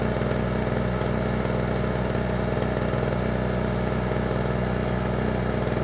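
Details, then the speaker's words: Small generator started with the engine switch on, a little choke and the fuel on: a steady, even drone with a smooth low beat and no misses or knocks. Normal running; it runs real good. "good yeah she runs real good"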